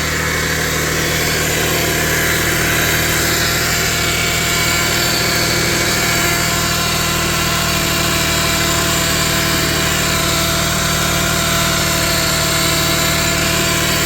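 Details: 2001 Subaru Outback after replacing serpentine belt, idler pulley and tensioner; charging 14.4 V running vs 10.7 V battery. Smooth, steady idle with even accessory whir, no squeal or chirp; normal idle.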